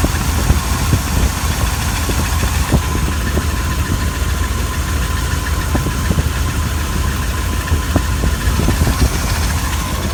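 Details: 318 small-block V8 at idle: a thin, steady high squeal rides over a lumpy idle with scattered light ticks; odd squeal, source not pinned down.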